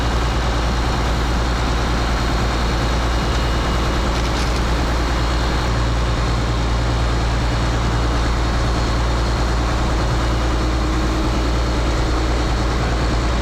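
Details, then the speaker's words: Case IH 2366 combine with rebuilt 8.3 Cummins diesel from a Ford F800, straight pipe exhaust: loud steady rumble, choppy at first then smoothing out, no knocking; first start after reassembly runs smoothly. "it sounds different but no that's straight pipe yeah it sounds good to me like it was it was choppy a bit at first I meant it smooth out"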